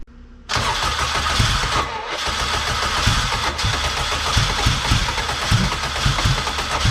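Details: K24 AWD-swapped Honda Civic, built engine, after fitting a replacement starter: brief crank, engine catches and settles into steady even four-cylinder idle, no valvetrain ticking; normal start.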